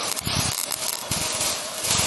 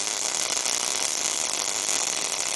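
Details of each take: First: That means your wire speed is too high, or your voltage is too low. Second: MIG welder with voltage and wire speed set correctly: constant, even frying buzz with no popping or sputter breaks; normal arc sound.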